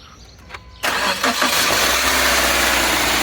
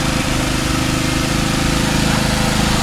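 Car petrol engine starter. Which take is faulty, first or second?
first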